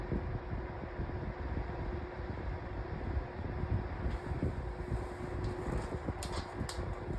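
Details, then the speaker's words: Lasko 1823 18-inch pedestal fan running with a steady low whir and a faint constant hum-like tone over the airflow, the annoying whirring noise said to affect every 18-inch Lasko fan. "Um so, all every single 18-in Lasko fan that you buy is going to have a split. It's going to make that annoying whirring noise."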